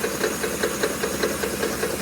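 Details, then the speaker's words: 2010 Ford F150 5.4L 3V, under 90k miles, at idle: sharp even knock about five times a second, louder on the passenger side, worsening over 5 days, vibration felt at the VCT/oil cap; owner suspects cam phasers rather than the timing chain; cause unconfirmed. "Knock knock knock. Driver side. Definitely louder on the passenger side."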